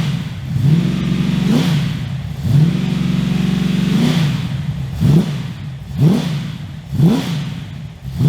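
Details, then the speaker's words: 355 stroker V8 in an HX One Tonner after 11–12 years in storage, recorded with a shotgun mic on a walk-around. Sharp throttle blips about once a second give a deep, even growl through a loud exhaust; crisp, healthy revving. "So I think the exhaust from Repco Engineering sounds amazing. I'm really happy with that sound. It's loud, but it's not over the top obnoxious loud. It's got a nice growl to it."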